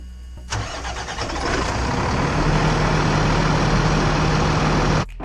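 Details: Motorhome coach diesel engine at first start during pre-trip inspection: starter cranks briefly, then catches and settles into a steady, even low rumble with clean idle and no knocks.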